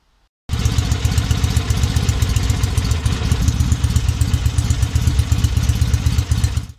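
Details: 1963 Norton SS 650 twin after complete rebuild and restoration, running on a makeshift fuel system without tank: strong, even low thump around four beats a second holding steady from catch to cut-off; runs cleanly, normal idle.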